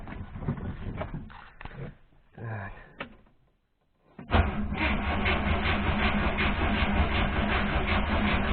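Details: 1973 Moskvich 412 engine at idle after cranking, with a steady rhythmic knock. It appears only around 2000 rpm when hot and about 1600 rpm when cold. A broken valve spring is suspected and the head is being removed. Engine knock, source unconfirmed.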